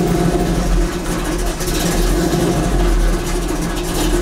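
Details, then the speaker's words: 1984 Chevy C10 started after a long time sitting, during an electric fan and thermostatic switch install: a deep, even idle burble with a steady low rumble and no rasp or ticking; the worn, trashed muffler still sounds acceptable. "even though the muffler is a trash oh it's it also have bad though not at all"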